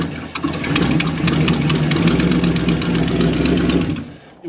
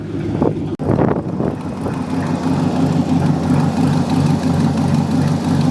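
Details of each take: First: 1969 Ford LTD V8, sat for years, leaking carburetor: lumpy, uneven, stumbling idle, blowing black smoke and running pure rich as the carburetor spews fuel; bad for the engine, carburetor needs rebuilding. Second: 1969 Ford LTD V8 after sitting for years, cold on the choke just after first start: deep, even burble at steady fast idle, no knocks or misses; warming up normally.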